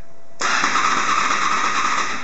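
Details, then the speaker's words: Honda motorcycle with H.I.S.S. coded-key immobiliser, key pulled before code transmitted; steady whirring crank for two seconds, no fuel pump prime, FI light stays on, engine never catches; immobiliser active. "Now, let's do that again and quickly rip the key out before it can actually get its coded signal transmitted. Ta-da! No fuel pump prime is sent."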